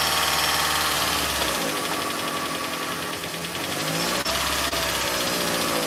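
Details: Toyota Prius after head gasket replacement, first start after the engine sat assembled for a long time: fast, light, fairly even lifter ticking rattle right after startup; lifters suspected not yet pumped up, not confirmed.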